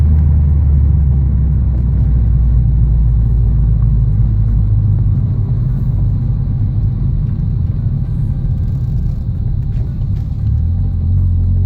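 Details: Test drive after retightening the loose sway bar end link nut that caused a clunking rattle: only steady low road rumble, no clunks or rattles over bumps; suspension sounds tight, fix confirmed.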